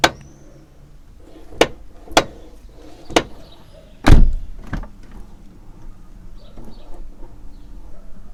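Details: Toyota Corolla E150 door, after about three years of ownership, driver and rear passenger doors: sharp single clunks, about five in several seconds, as the door swings open; owner suspects worn door check rollers, Litol-24 grease tried; cause unconfirmed.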